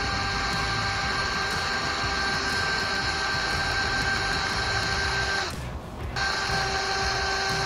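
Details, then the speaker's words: 1972 Ford Bronco 302 V8, not run in 20 years, oil pump primed with a drill turned counterclockwise through the distributor drive: steady high drill whine that dips in pitch as the pump loads and starts moving oil; oil reached all rocker arms but one. "Alright, now I don't know if you noticed when the drill changed the pitch there, that's when you know you're starting to pump oil. You'll feel it, you can hear it in the drill."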